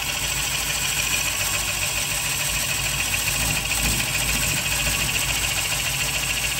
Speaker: rest you can see these shavings are having no problems clearing themselves